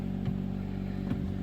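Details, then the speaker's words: 2009 Kia Ceed G4FC 1.6 petrol, 177,000 km, repaired for oil consumption of 1 L per 1000 and a knock: first start while cold, before warming to 90°. A quiet, smooth hum with light throttle blips and no tapping. "всё работает ровно работает тихо Это самое главное сейчас будем греть до рабочей температуры"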